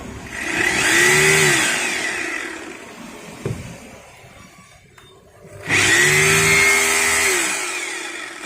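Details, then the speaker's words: Maktec MT870 rotary hammer after repair of no-hammer fault, run free: harsh rattling motor roar showing the hammer mechanism now works, with vibration present where before it ran smooth without any. "suaranya ini udah terdengar kasar ya bukan kasar rusak ya tapi ini kasar menandakan bahwa hammernya itu udah berjalan"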